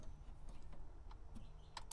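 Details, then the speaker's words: 1950 Chevy custom that sat outside for 21 years, with points ignition. The coil is jumped with no key and the engine is not turning, giving faint, sharp snaps of good spark with the points uncleaned, so the ignition is firing fine. "oh yeah we got great spark um see if i can get you in there to see it yeah you can even hear it so awesome awesome awesome"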